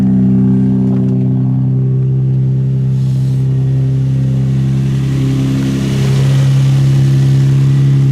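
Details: Infiniti G35 V6, just after replacing spark plugs: strong, steady low hum with even firing, swelling slightly as revs rise; no knock, miss or blow-by; runs smooth and healthy.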